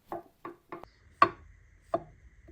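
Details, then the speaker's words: Replacement rear differential (40/11, 3.64 ratio) for a Mercedes Vario truck, rotated by hand: light uneven clunks from normal crown wheel and pinion backlash, play that allows an oil film to prevent wear. "You can hear that clunking. That's a little bit of space between the crown wheel and the pinion gear."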